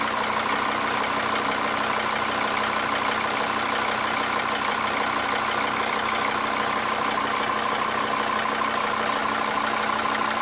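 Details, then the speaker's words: Diesel engine at idle after the fuel injector was replaced: an even, steady clatter of about three beats a second with no misfire. The car still would not start when hot, and the fuel pressure regulator sensor is next to be replaced. "После замены форсунки двигатель начал работать без перебоя."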